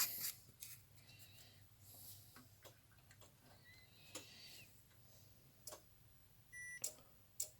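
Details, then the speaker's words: Bench power supply (rated 30 V, 3 A, about 90 W) with a 75 W incandescent bulb as load: lamp lights then goes out, faint irregular ticks and clicks as readings wander and the supply trips into protection, cannot carry the load; overload protection cycling. "Загорается, потом гасит. И видите, там переходит в защиту. Здесь параметры гуляют. То есть тот блок питания не тянет."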